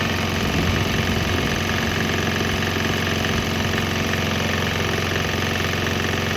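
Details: Swan X 165F Chinese single-cylinder diesel running on straight used canola (fryer) oil; quick, even thumping at a steady beat, no misses or stumbles; normal running.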